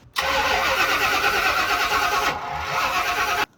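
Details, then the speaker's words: 1995 Ford Bronco on a start attempt after an engine swap, fuel pump cycled; harsh uneven cranking with back pressure but no start; distributor suspected to be 180 degrees out. "It had a little bit of back pressure when it was cranking, as you heard."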